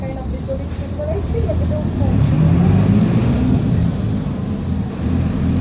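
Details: Torino 2007 bus body on Mercedes-Benz OF-1722M diesel chassis, recorded 2021 while driving: low droning growl swelling and rising in pitch with road speed under diesel and road noise; growling differential.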